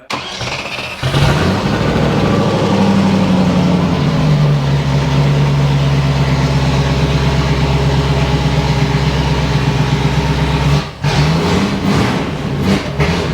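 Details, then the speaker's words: Range Rover Classic V8, revived after 7 years unrun, after new injectors, MAF sensor and coil: cranks and catches, then idles with an uneven, lumpy beat. Better than before but still not right; fuel regulator suspected. "Right, so it's a lot better than it was. It's just still not 100% still."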